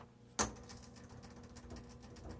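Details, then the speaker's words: 1970s Smith Corona Electra 210 electric typewriter, switched on: after a click, a faint steady low hum from the motor on the left side, with no grinding or rubbing; the motor idles normally. "And you can hear the motor."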